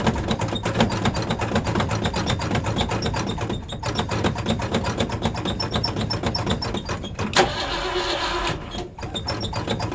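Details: Old Ford Bronco, first cold start with lots of pedal pumping: slow, even cranking about four beats a second goes on a long time before finally catching. Hard cold start, extended cranking.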